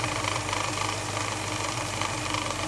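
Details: Holden HK at idle after timing adjustments, idle mixture screws found almost fully out and suspected too lean; owner suspects faulty carburettor metering block: low, uneven, lumpy wavering idle with light rattle, rough poorly metered idle.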